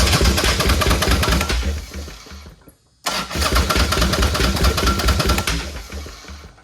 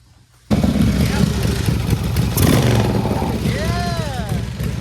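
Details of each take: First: Chopper project bike, just re-pinned wiring plugs, petcock opened; three bursts of steady cranking that never fires. Tank almost empty, and they suspect it's not getting enough gas (not confirmed). Cranks but no start. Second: Chopper V-twin after a carburettor rebuild; fires up and blips, and revs drop back to idle quickly without hanging. The previous carb's throttle stayed up longer and gave more fuel. Normal throttle return to idle.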